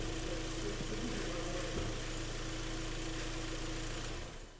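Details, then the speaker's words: 2012 Hyundai ix35, G4KD petrol engine, front-wheel drive, 130,000 km, engine warmed up: steady, even idle, smooth low drone with no knocking or uneven beats; the engine seems to run very well, normal idle. "так-то саша как скажет как работает очень очень неплохо вроде работает"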